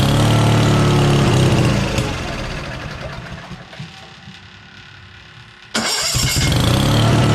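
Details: Case skid steer after its fuel pump impulse line was fixed, started with choke out and a little throttle: fires, dips briefly, then holds a steady idle without stumbling; now starting and running properly.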